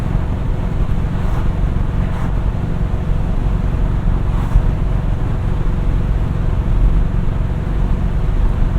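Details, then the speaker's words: 1970 Chevelle SS 402 V8 after fuel pump changes to fix stumbling, binaural in-car recording while driving, third gear: steady even low rumble with road and wind noise, no misses, pulling really good, fastest yet: normal running. "yeah she is pulling really really good now that was by far the fastest I've been able"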